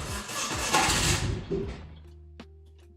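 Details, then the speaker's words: Turbo engine swap with no idle, fuel pressure at three bar: fires and revs raggedly for about a second, then fades and quits within two seconds; fuel pressure doesn't seem to be the main cause. "still just runs like a [ __ ]"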